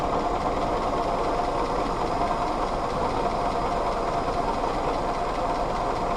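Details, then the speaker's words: Willys CJ2a Jeep L134 flathead four idling unevenly with ragged lumpy beat and steady clatter, dies on any throttle; owner suspects missing distributor vacuum advance; coolant leaking. "it's also dying immediately as a as soon as I give it any sort of gas could be because I don't have the vacuum advance on the distributor but it's running"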